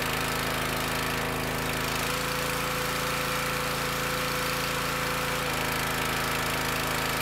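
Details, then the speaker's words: Petrol pressure washer, before repair: steady drone then sags and labours when wand trigger released, stops abruptly at shutdown; high pressure not relieved, unloader valve seal broken. "so you see when i let off the handle it bogs down and it struggles and then when you when i shut it off you notice how quick it shut down or the engine stops spinning tells me that something ain't letting off"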